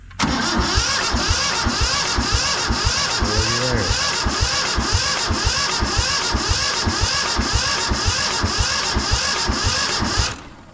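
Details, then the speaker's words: Free two-wheel-drive Yanmar 1500 tractor that wouldn't start, cranked after carburetor cleaner was squirted into the main fuel line at the injector pump: steady rhythmic cranking at about two compression beats a second with no catch. Cranks, no start. "And then I cranked it over a little bit, like I'm going to do now. And we're going to see if it's going to have anything come"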